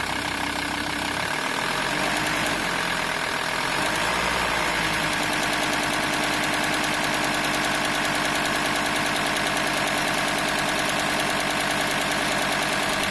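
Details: VW T4 2.5 TDI AXL diesel just above idle, at 1050–1100 RPM only: fast, uneven metallic rattle about three per second from the serpentine belt area; probably the belt tensioner pulley, not confirmed.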